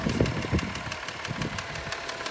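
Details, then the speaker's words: 2003 Subaru Outback Limited with 318,400 miles and the check engine light on, at idle: quick, fairly regular light ticking, about four or five a second, over a steady idle. A top-end clicking of unknown cause. "kind of clicking noise in the engine"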